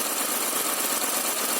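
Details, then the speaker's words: 2003 Honda Accord V6 whose VTEC hasn't engaged since it was acquired, heard in the engine bay while checking for leaks around the crossover pipe, before warm-up. Even, smooth idle with no knocks, misses or hunting: running normally. "So here we are, the engine compartment. The engine runs quite smooth."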